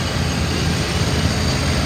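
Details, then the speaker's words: 1995 Ford F-350 XL cab and chassis, 7.5L gas V8, 129,000 miles, warm after about 45 minutes running: steady, even low idle rumble with no knocks, misses or rattles. Motor sounds good and very responsive; normal. "Motor sounds good and it's very responsive. A lot of power."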